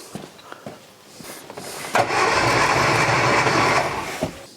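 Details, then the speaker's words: Classic Mini four-cylinder, cranking on starter during compression test with gauge fitted: even steady cranking rhythm, readings about 12–13 kg in all four cylinders; plugs looked slightly rich; normal cranking compression. "so good what I can say is that the compression test is really good all four cylinders are having around 12 kilograms"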